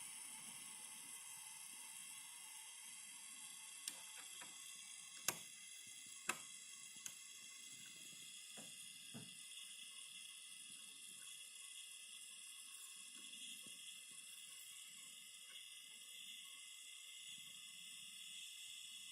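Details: Phoenix Contact QUINT-PS/1AC/12DC/15 12 V switching power supply running, steady high-pitched hiss with faint tonal whistles; strong hissing persists even with load connected to output terminals, present on all four units owned.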